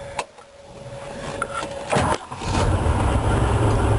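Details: 1965 Ford Mustang GT with new kill switch wired between distributor and coil, switch flipped back on: brief starter clicks and crank, engine catches and settles into even low rumble; starts normally.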